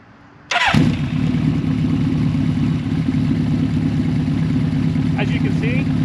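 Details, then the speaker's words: 1983 Suzuki GS1100GL four, newly fitted Delkevic stainless full exhaust with megaphone baffle, existing jetting: catches at once and settles into a steady, even idle with a deep, smooth note, deeper than the original exhaust; normal idle. "it's got a deeper tone than the original exhaust, and I'll rev it up a little bit here just so you can get the sound of it."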